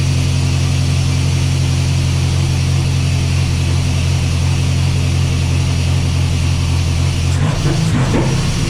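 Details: Chevy S10 with Mercruiser 140 boat engine swap, factory TBI turbo on factory computer: deep, uneven thrumming idle that stumbles and won't hold; owner suspects tune or fuel pump, fuel pressure reads 90 psi.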